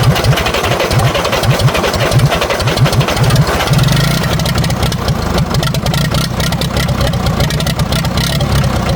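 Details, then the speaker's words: 1960 International B275 diesel tractor, sitting since winter, cranked at about 80°F with glow plugs and jumper cables; slow, labored, uneven cranking drags through each compression stroke before it begins to catch, as the weak battery turns it over slowly. "Even though it's like 80 out today, I'm still going to use the glow plugs cuz with such a weak battery, it turns over so slowly that any help it can get will help."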